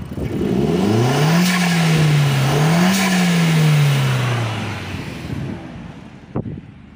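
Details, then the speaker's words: SEAT Leon mk1 1.8T with a new TiAL blow-off valve, after refitting the original spring with shims: smooth rev sweeps that hold without the earlier rev drop, then settle back. It revs normally. "Y si lo aceleramos, ya no se caen las revoluciones como hace rato. Ven que ahí como que se caía. Y ahí ya lo aguanta, ya lo sostiene chido."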